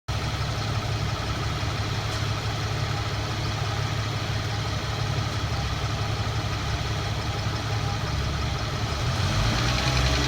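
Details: Infiniti Q50 petrol engine idling then revving in neutral: light metallic tapping or clanking that quickens with rpm, not speed dependent, occurring about 1500–4500 rpm; owner unsure of cause.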